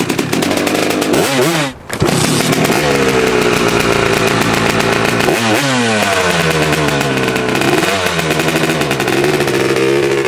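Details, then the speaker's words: Honda 250R two-stroke with a 390PV CEO motor, after richening the mixture (it was ratty before): crisp ring-ding idle and three sharp revs climbing and dropping cleanly without stumbling or popping; normal running. "YouTube, it sounds so much better since we richened that thing up. Before, it was real ratty."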